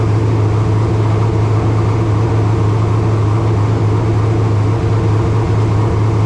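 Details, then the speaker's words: Race car engine's first fire of 2025 after filling with water: a loud, steady, fast idle with a deep even drone that never settles lower. No tach, so exact rpm is unknown; only oil pressure and water temp gauges fitted. Idling too high. "uh it's idled up a little bit thing was I don't have a tack so I don't know exactly how many RPMs it was turning uh all I've got is water pre or uh oil pressure and water temp but it was idling high"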